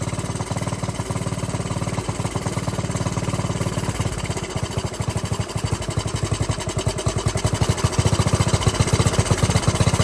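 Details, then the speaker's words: Dirt bike at a raised idle with air/fuel screw set too rich, smoking: choppy, uneven popping with stumbling beats; rough idle from rich mixture. "She is not liking that for the idle. Way rougher. Oh yeah, see, when we had it adjusted earlier, it wasn't smoking like that, but now, again, it's so rich, it's smoking."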